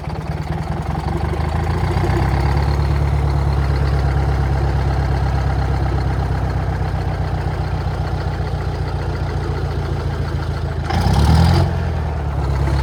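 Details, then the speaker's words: Old Detroit diesel on a rock crusher plant, first start in about 3.5–4 years after a starter solenoid repair: fired right up, briefly seemed about to run away, then steady even clatter at idle with no misses; healthy. "Fired right up. I thought it was going to run away for a second."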